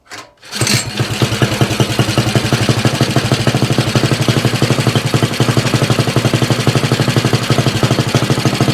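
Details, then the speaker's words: Axis M200 mini bike, 196cc single, 22mm Mikuni carb, aftermarket muffled exhaust, governor delete, cold start: lumpy uneven idle; runs rough and very rich at idle with black smoke, flat spot at mid throttle, before rejetting. "thing I'm still struggling with on here, and that is this bike runs a bit rough."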